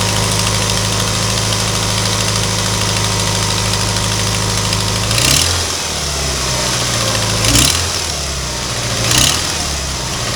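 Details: 1992 Ford Ranger 2.3 four-cylinder, engine reportedly rebuilt under 4000 miles ago, idling with a steady hiss and light quick ticking that appeared suddenly; engine otherwise runs well, cause unknown.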